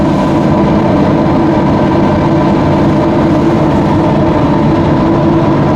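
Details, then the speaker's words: Newly fitted Webasto Thermo Pro 90 diesel coolant heater, replacing a failed Eberspächer on a Demag AC220 crane, warming up around 70°C with the coolant bubbling and pipes already hot. It gives a steady, even roar with a smooth low hum, no knocks or misfires: normal running. "See the coolant bubbling in there. Roaring away."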